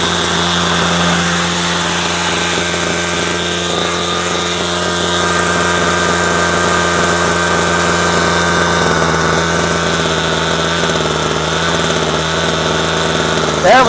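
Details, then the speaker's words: Two-stroke string trimmer after low-speed mixture adjustment and turning the idle back down: a steady, even buzzing idle with constant pitch and no surging or stumbling. Fixed; it had earlier run only on half choke. "Okay. So, that one's fixed."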